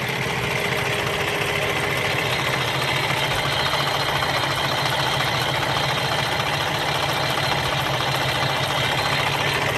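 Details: 2013 Freightliner Cascadia 125 day cab, Cummins ISX15 425 HP diesel, 621,000 miles, hood open: even steady diesel clatter at idle, no clicks or metallic tings, minimal blow-by, no oil leaks; healthy normal idle.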